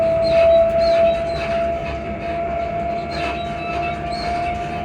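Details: Class 334 unit 334031 under way on the Haymarket–Bathgate service: a thin, high, near-steady squeal over the rolling rumble. Suspension squeak suspected, not confirmed.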